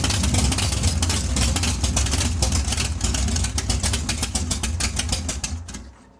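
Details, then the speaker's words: Big-block Chevy 454 in a barn-find T-bucket with both exhaust tubes removed, open headers. Loud, crackling V8 rumble with a fast, even firing beat that settles as revs drop; the engine sounds healthy. "All right, both tubes are off. Let's hear it. Open it. Let's hear it. Open her. How she's going to sound in the Monte Carlo."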